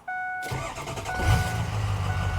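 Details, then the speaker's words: 2005 Ford Excursion Eddie Bauer 6.0L Powerstroke diesel, 2WD, 238k miles, bulletproofed oil cooler, new OE injectors, new fan clutch, 4-inch turbo-back exhaust; warm (not cold) start: short crank after door chime, fires almost at once, settles to steady even diesel idle. Normal warm start. "Let me go ahead and start this thing up. I'm gonna start it up here. Not a cold start,"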